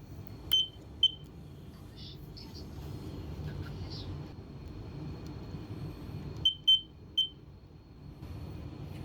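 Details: Smoke detector a few years old giving short shrill chirps every 30 seconds with quickly flashing green LED instead of solid; malfunction, repair attempts failed, needs replacement.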